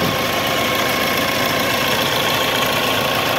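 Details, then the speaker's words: Mahindra Scorpio SZ 2.6 8v diesel idling after repair, started easily, radiator possibly has a small hole: thin steady whine around 1 kHz above rough clatter. Ugly noise comes from the alternator. Alternator noise. "funcionando já ó fazendo um barulho feioso no alternador aí vendo ó"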